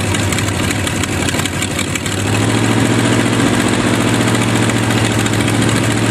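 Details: Used Chevy 350 small-block V8 on an engine stand, first run after purchase: uneven idle stumbling and hunting before steadying slightly higher; carburetor full of dirt, idle circuit tubes likely plugged, thorough cleaning needed.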